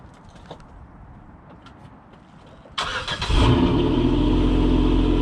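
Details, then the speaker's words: Pontiac G6 six-speed, cold start after a leak repair: quick crank, catches cleanly and settles to a smooth, quiet, even idle with no ticks or knocks. "nice and quiet i fixed up the leak even better too"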